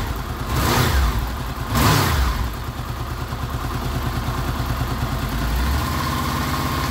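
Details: Honda VFR800 VTEC V4, 58,200 km, after cam chain replacement that cured a front-cylinder knock, warmed up to around 94 °C: two quick throttle blips then steady raised revs, even beat, no knock; healthy.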